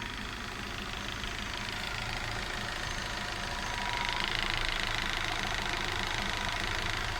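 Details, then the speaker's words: Volkswagen Vento 2.0 AGG engine, 260,000 km, idling at 800 rpm on propane LPG after switching from petrol: fast even ticking, about three a second, from the LPG injectors while the engine runs smoothly; whether this ticking is normal is left for specialists. "Слышите, как стучат форсунки ГБО. Это стук форсунок ГБО. Но двигатель работает ровно, спокойно, без проблем."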